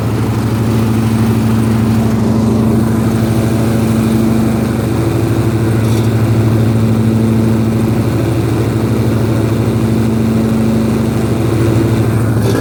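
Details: Husqvarna riding mower with cutting deck engaged, moving or stationary, blades confirmed tight: steady engine drone with a continuous metallic grind over it; source unknown.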